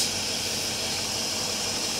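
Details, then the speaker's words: Car with no check engine light and poor acceleration, no leaks found by spraying or smoke test: steady, high, airy hiss over a faint engine hum that sounds like an air leak; hissing at idle, source unknown. "it sounds like there's a leak there are no leaks I did a smoke test no leaks"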